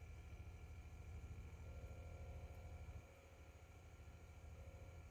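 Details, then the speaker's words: 2007 Audi A8 air suspension with fault code 01400, ignition on, engine off; compressor runs trying to lift the car, steady low electric drone with slight pulse, easing partway; compressor operating normally. "I can hear the compressor running it's going to try to lift the car"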